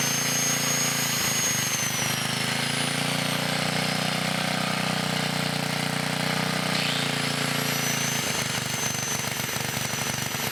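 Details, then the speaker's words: 1980 Montgomery Wards 2200 W generator, Briggs & Stratton 5HP, after NOS block swap and carb rebuild, run about half an hour under changing loads; drone sags for several seconds then climbs back: carburetor and governor not holding speed under load. "having a few issues with the carburetor and the governor they're not coming back up all the way"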